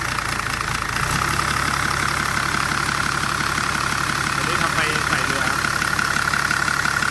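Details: Diesel engine with HX302 turbocharger at idle: thin high whistle riding constantly above the clatter, plus a hiss; turbo singing, possibly rubbing.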